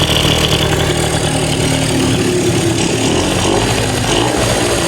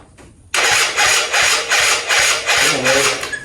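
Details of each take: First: 2005 Yamaha Zuma two-stroke with a big bore kit (China cylinder and piston, Polini head) and a repacked silencer, with a fuel leak at a loose hose. Steady, even two-stroke burble without stumbling or hunting. Normal idle. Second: 2005 Yamaha Zuma two-stroke scooter with a cheap big bore kit (China cylinder and piston, Polini head), after swapping the fuel lines. Starter churns in uneven surges about three a second and it nearly catches. Cranks but won't start; owner suspects fuel delivery.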